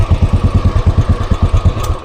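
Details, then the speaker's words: 2017 Royal Enfield Bullet Classic BS4 with a new battery: loud single-cylinder thump, uneven, misfiring on start with a "chik-chik" sound, then stalls; carburetor suspected but not confirmed. "Start ചെയ്യുമ്പോൾ മൊത്തം missing ആണ് ഓൺആയി switch on ആയി start ആയി പക്ഷേ ഒരു ചിക്കന sound വരും"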